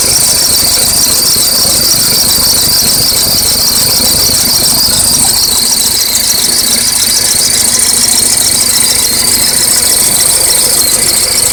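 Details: Acura RSX at cold start: loud, fast high-pitched chirping like crickets, about three per second, from under the hood; owner thinks it comes from the belts next to the power steering reservoir, belts looked alright; suspected accessory belt or pulley chirp.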